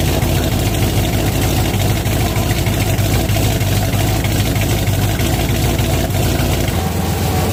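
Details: 1967 12-bolt rear axle fitted with wrecked used ring and pinion gears, running at about 50 mph on jack stands: steady loud low drone, a rough gritty hum like a freight train; worn ring and pinion gear noise.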